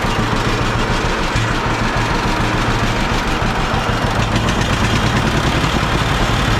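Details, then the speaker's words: John Deere B two-cylinder tractor after magneto troubles, restarted after flooding and choking, spark plug wires suspected poor: loud, steady low pop-pop idle, even beats, no skipping; running clean, seems fixed. "oh listen to that thing pop along all right good deal I think we fixed her"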